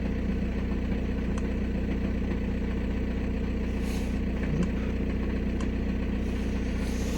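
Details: VW Passat B6 1.9 PD TDI diesel, 2006, 318,000 km, after underhood wiring repair for only-starts-in-1st-gear fault: steady even idle clatter, no misses or hunting; injector correction normal; idling normally.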